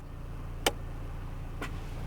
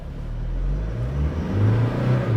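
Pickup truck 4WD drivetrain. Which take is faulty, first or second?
second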